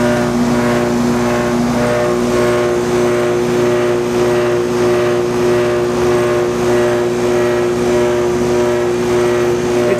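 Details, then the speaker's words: Goodman heat pump outdoor unit, late at night, just kicked on after a slow start, gives a loud, heavy drone with an uneven throb under a steady hum; it vibrates badly, the compressor is suspected and the cause is unknown, never this loud before. "sounds like a compressor it's vibrating really bad i don't know what the heck could be wrong it's never been this loud before"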